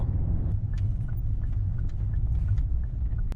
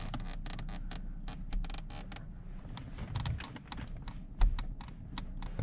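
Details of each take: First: Genesis BH interior while driving, after about 10 hours of cabin rattle removal around the center console, gear lever and driver door: steady low road rumble with no rattles or buzzes from the trim. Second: Genesis BH cabin: quick clusters of dry creaks and ticks from interior trim over a low rumble, before rattle removal work on the center area, gear shifter area and driver door.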